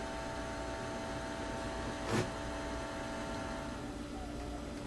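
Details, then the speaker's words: Hallicrafters SX-62A receiver under restoration, electrolytic and tubular capacitors not yet replaced, output transformer with speaker taps, volume at full: low steady buzzy hum under faint hiss; radio otherwise working, hum cause not yet traced. "but there is a light hum at full volume so more good news it seems like this radio may come back to life without a lot of additional changes"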